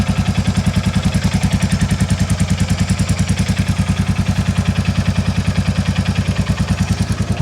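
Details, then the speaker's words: 2022 Royal Enfield Classic 350 at idle, before valve adjustment, exhaust joint blow sealed with foam: single-cylinder thump with steady light tick on each beat, about 200 a minute; top-end valve clearance tick remains. "if I seal that joint again you can hear that top end tick"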